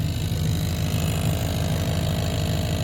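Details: 1990 Chevrolet K1500 Silverado at idle, AC off: a steady drone with a faint tick-buzz about every half second comes through the floorboard near the accelerator pedal mount. It stops with the engine off and was caused by the fuel line contacting the firewall.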